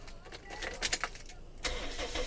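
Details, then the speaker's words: 2006 Toyota Vios S automatic, original 1500 cc engine: remote key, short crank and the engine starts at once, settling into a soft, even idle; normal start. "สตาร์ทติดง่ายๆครับชึ่งเดียวติดเลยครับเสียงนิ่มๆเลยครับ"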